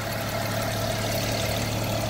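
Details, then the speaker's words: 2008 BMW 335xi during pre-purchase inspection, engine idling with dash warnings and stored codes; steady idle hum under a constant whirring hiss from the front, pulley noise. "You can hear a bit of pulley noises in the front"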